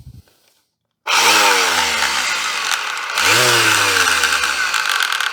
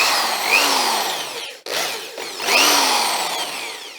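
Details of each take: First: Vintage double-insulated electric sander with no earth pin, tested: two short runs where the motor spins up with a rising whir, then settles into a slightly uneven, coarse hum. It still works. Rough-running sander, cause unknown. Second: Vintage electric drill after passing the safety test: the motor winds up and back down in a clean, rising and falling whine with no grinding or rattle; healthy.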